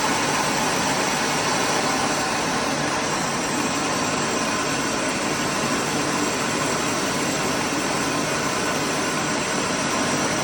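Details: Thai rice mill running while processing grain after replacing the broken motor bearing and fitting shim plate number 3: steady, even rushing roar with no knocks, squeal or grinding.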